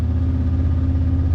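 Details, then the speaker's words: Kawasaki KRX UTV in gear at a fast, steady high idle with a deep even drone; transmission refuses to shift to the next gear at that idle, needing engine off to shift. "and it won't shift into the next gear. It's because the transmission doesn't want to shift it at that high idle."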